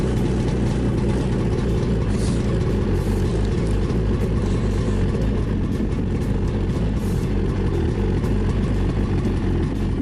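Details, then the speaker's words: 2017 Ski-Doo Skandic 550 WT two-stroke snowmobile, cold start at -10 after sitting a week, just fitted with a new drive belt: fires and settles into a steady, even low rumble with no knocks or rattles; healthy start. "So let's start it up. Check. Not been started for a week, so you'll have to see a cold start. It's -10 today."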